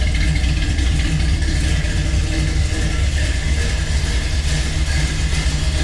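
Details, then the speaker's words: Chevelle V8 after an intake reseal, with the new exhaust and mufflers fitted: a deep, even rumble with no ticking, misses or vacuum hiss; it idles properly. "definitely sounds proper now sounds like it looks now so super happy with that"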